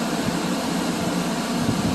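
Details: 2020 Chevy Equinox 1.8 turbo after R1234yf AC recharge: steady even blower air rush from vents, no rattles, ticks or whine; vent air cold, pressures about 2 bar low and 10 bar high, within range; normal AC blower operation.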